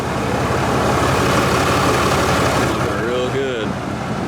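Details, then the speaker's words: Diesel truck with a deleted 6.7 and a Flo Pro muffler on a five-inch exhaust all the way back: loud, deep, even idle with a steady rapid pulse and open exhaust rumble; normal idle. "just want to come out here and take a look at his truck that's got deleted he has flow Pro Muffler on at five inch all the way back sounds"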